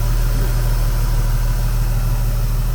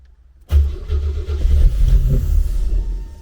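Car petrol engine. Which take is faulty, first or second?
second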